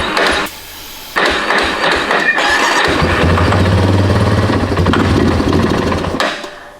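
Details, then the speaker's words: Yamaha Warrior ATV, sitting unused for years, started on ether spray. A rough catch, then a steady single-cylinder idle thump, said to be the noise they all make; normal running. "What do you think? >> They all make that noise."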